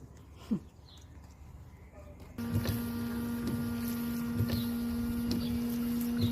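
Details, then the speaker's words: 2007 Renault Modus windscreen washer pump, after replacing the failed pump (Febi Bilstein 24633): a click then steady mid-pitched electric buzz for about four seconds; new pump works properly, though a hose still leaks. "Et voilà, ça fonctionne. Bon, il y a petit problème de durite à régler euh parce que ça fuit."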